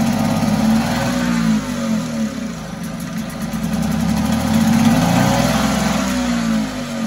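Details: 1974 Mercury 4 hp single-cylinder two-stroke outboard in a water test tank after revival: speed wavers and sags as if fuel-starved, won't hold steady and dies after priming; owner suspects a tired fuel pump, unconfirmed.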